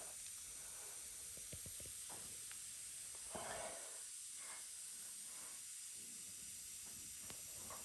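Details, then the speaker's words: Subaru XV tyre off the car with a broken-off nail causing a slow leak, puncture hole reamed larger with the repair kit tool: steady high hiss through the hole with a few tool clicks, before plugging. "So you can see I've made the hole a little bit bigger. Hear the air flowing out through there a lot easier now."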